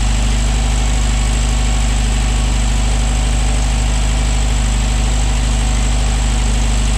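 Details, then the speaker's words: 1968 VW Beetle flat-four with a newly fitted, unadjusted no-name aftermarket carb replacing the Solex, oil-bath air cleaner refitted: even, low chuffing idle with a steady beat and no misses or knocks. Runs smoothly. "So with the oil bath back on, let me start it up again just to verify everything's working like it should."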